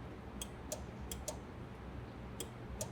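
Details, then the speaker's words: 2008 Ford Crown Victoria, horn inoperative: listening at the fuse box while the horn button is pressed, the relay clicks sharply in on-off pairs with no horn note; the relay operates but power never reaches the horn. "Yep, I hear it clicking. But that clicking is not going to be heard by anybody to get out of the way. >> It is operating the relay."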